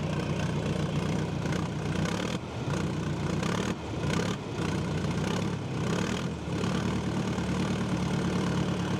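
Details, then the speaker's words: John Deere 310A backhoe diesel, first start after fuel system and fuel pump repair: a low, even idle rumble with a few small dips as air bleeds through, otherwise settling and running steadily. "all right let it run for a little bit and uh charge up the battery bleed any the air out and we should be good"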